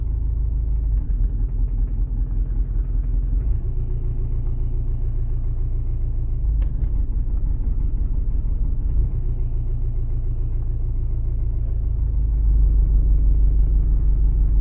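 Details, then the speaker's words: Diesel at idle while warming up: low, lumpy, uneven idle that labours and nearly dies, cabin vibrating; third cylinder not working, injector suspected, running on two cylinders. "ну по звуку чуть ще є вібрація чуєте салон весь вібрує зараз буду вичислять яка форсунка не працює третій циліндр не працює"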